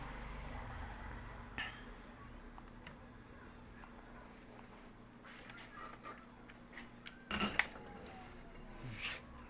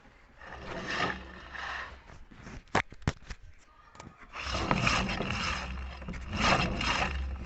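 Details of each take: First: Electric motor after bearing and seal replacement, running in reverse: quiet steady hum, no grinding, rumble or knocking; clean normal sound after service. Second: Electric motor on the bench before bearing and seal replacement: spins up with a rough scraping rumble that swells and fades, then drags and slows; worn bearings.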